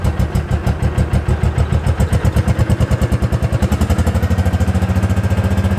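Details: 2005 Kawasaki Mule 600 single cylinder after fitting a new spark plug (old one bad, a spider web was found): crisp, even thumping firming up as it warms, firing cleanly with no misses; fixed.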